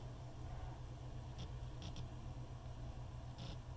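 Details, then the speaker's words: Old IDE hard drive on a USB adapter, stalling at zero bytes per second while copying data: a faint steady hum with a few sharp, irregular clicks every second or two; mechanical trouble suspected, not confirmed. "it works for a second and now it's making noises ooh hear that"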